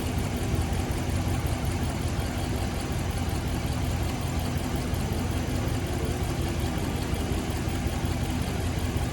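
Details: 2016 Ram 1500 5.7 Hemi V8 idling with a rough, uneven lope, stumbling about twice a second; cylinder 3 misfire at idle persisting after all plugs and coils were replaced, cause not yet found.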